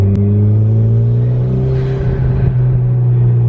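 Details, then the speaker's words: Toyota MR2 turbo with distributor cap and rotor, driving: the engine drones low and steady, then stumbles and hesitates down low as the turbo starts building boost, like it is fighting it; the cause is unknown. "like you hear turbo started to like like it's fighting it I just don't know what could be causing it"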